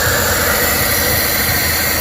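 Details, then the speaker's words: Suzuki turbo engine (DA64/DA63/DA17) first running after a crank-no-start fault with no ECM communication and P0707 shift switch code, system not fully reassembled: steady fast idle with loud airy hiss, high because the turbo intake is left open. "Mataas yung menor niya kasi turbo type to naka-open hindi natin pero okay na yan."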